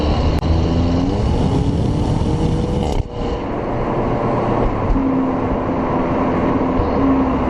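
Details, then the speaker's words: 2009 VW Golf Mk6 1.4 TSI turbo petrol, stock exhaust, DSG dual-clutch, hard acceleration: steady engine drone with brief dip and pop at gear change around 4000 rpm; normal DSG upshift burble. "so when you hit about 4000 when it grabs when it changes gear that's when you're gonna hear the dsg uh thoughts"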